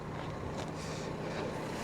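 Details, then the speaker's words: 2014 Mercedes C350 V6, engine bay, running: even, smooth idle with a steady low hum, no knocks or ticks; still running smoothly, engine sounds healthy. "here we go still running smoothly"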